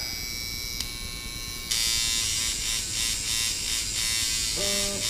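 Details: Sidewinder V3/V2.5 rotary tattoo machine at about 7 volts, spring tension backed out about 1 mm, with a little impact added to cure a stutter: a steady, even, crisp high buzz with no stutter. Normal running.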